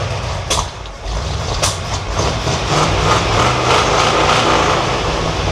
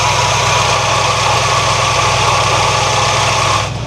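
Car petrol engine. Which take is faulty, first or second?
first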